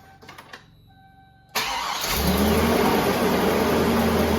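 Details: Truck started after belt work and coolant refill, cold, door open: quiet cranking then smooth even idle with no belt squeal or whirring, noises gone after repair.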